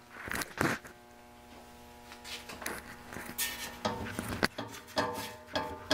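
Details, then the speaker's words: Heat pump motor with worn-out bearings: irregular metallic clunks with a brief ringing tail as the loose shaft is rocked side to side; the motor also whines and runs slow, will overheat and quit. "it you can hear that but that slack in the shaft side to side slap that's always a that's a no no"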